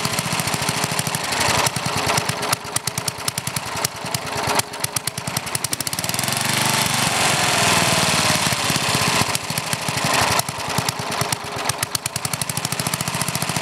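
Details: Older Briggs and Stratton, one-piece Flo-Jet carburetor, air filter off: popping unevenly with stumbles and surges, briefly steadying then hunting again as the mixture screw is turned in; idle mixture too lean, smooths when screwed out richer.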